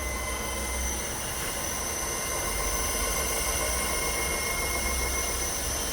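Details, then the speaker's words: Kia/Hyundai electric car on a lift, drive wheels spinning: steady hiss with high whistling tones swelling louder as speed rises; drivetrain rolling noise despite new bearings in the electric motor, cause not yet found. "let's go and here's a rolling sound [music] accelerated a little more the sound [music]"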